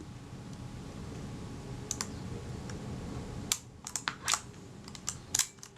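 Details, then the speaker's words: Kodak Retina IB (type 019-II) with Synchro-Compur shutter, after moving the rack one tooth: crisp small clicks and a short ratchet as the film advance lever travels, shutter cocking correctly before the stroke ends. "You can just hear the shutter cocking before I got to the end of the film advance stroke. Yeah, that's it there, that sound. So the shutter now cocks correctly."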